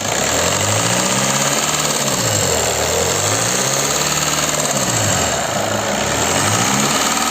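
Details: Engine revving, rising and falling with the throttle, with a busy clattery tone over it; no specific fault pinned down, cause suspected but not confirmed.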